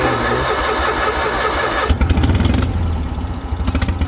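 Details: Old Kohler pancake twin on a three-wheeled street sweeper, unused over 20 years, after fuel system revival, new electronic fuel pump, battery and points ignition work: loud hiss, cranking, catches into uneven low putter settling toward idle; engine runs.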